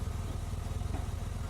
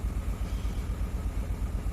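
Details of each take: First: 2003 Honda Accord V6 after engine swap (old engine had rod knock) and dead cylinder 5 coil replaced, at operating temperature: steady, even idle with radiator fans whooshing, no misses or knocks, no check engine light; normal idle. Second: 2003 Honda Accord V6 on first start after an engine swap: low, lumpy idle with a steady hitch where one cylinder drops out; misfire from a dead ignition coil on cylinder 5.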